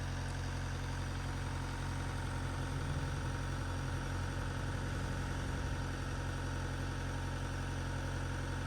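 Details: Vauxhall Astra van, 1.9 Z19DTH diesel converted from 1.7, restarted after top-end engine damage repair and re-timing. Steady low diesel clatter at idle with an even rumble and no knocking or hunting.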